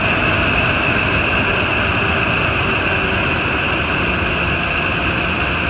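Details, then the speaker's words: Ford F-250 truck engine at idle after serpentine belt tensioner replacement: steady even hum, the old tensioner's growling gone. Repair successful. "look good running good that was successful"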